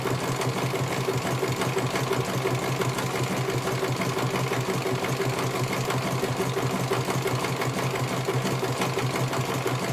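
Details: CNY computerized embroidery machine being serviced, whose dynamo motor earlier would not turn: even, rapid needle ticking about three per second over a steady motor hum; stitching smoothly and healthily, one colour finished, judged very good.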